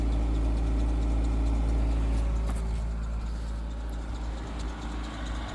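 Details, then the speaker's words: 1984 Dodge Mini Ram Royale van, 2.2L I4 carbureted, 5-speed manual, first run after 25 years parked: small four-cylinder idling smoothly at a raised cold-start speed on the choke, then dropping to low idle as the choke (presumed heated electric) shuts off. "So, it just kicked down to low idle. So, the choke went off."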